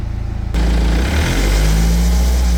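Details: 2009 BMW E92 320d with N47 diesel: knocky clattering idle, then a rattle comes in as revs climb under throttle, source unclear. Rattle on acceleration.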